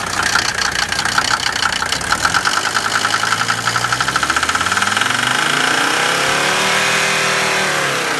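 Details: Mercedes 190D turbo diesel, weeks after replacing injector O-ring seals: sharp rapid nailing ticks over an uneven rough idle, engine shakes returning to idle, lots of smoke; cause unconfirmed.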